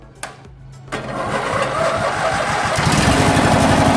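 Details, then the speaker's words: MTD Yard Machine riding mower, 17.5 hp Briggs & Stratton twin, started by jumping the starter directly from the battery: a few quick cranks, then it catches and runs steady; the starter is good, and the no-start is blamed on no power through the ignition switch. "will fire right up. So it will start right up if I jump the starter directly. So that tells me the starter is good."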